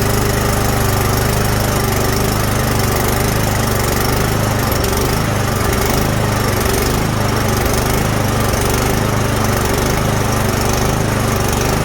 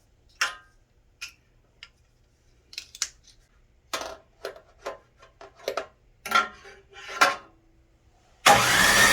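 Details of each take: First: Snowblower that wouldn't start after sitting all summer: steady, even petrol engine drone with no misses, knocks or surging; it runs smoothly at a constant speed. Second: Snowblower that sat all summer: repeated uneven pull attempts with short bursts and gaps, never catching into a steady run; cranks but won't start.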